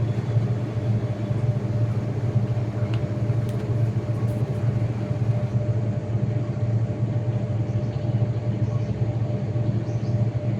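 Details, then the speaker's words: IFB 8.5 kg top-load washing machine spinning: low steady hum through the whole spin, no knocking, rattling or surging; quiet, normal running. "तो अभी देख सकते हैं ये machine चल पड़ी है। अभी इसमें कोई आवाज नहीं आ रही है। बिल्कुल नॉर्मल ये मशीन चल रही है।"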